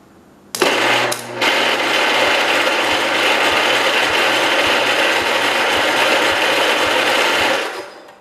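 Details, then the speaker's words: 1969 John Deere 112 Patio tractor, cranked with raised voltage: steady fast starter whirr with even, light puffs and no heavy compression pulses; sounds like little or no compression though air exits exhaust, intake likely closing. "it almost doesn't sound like it's got any compression but I do hear it might I do hear it coming out the exhaust"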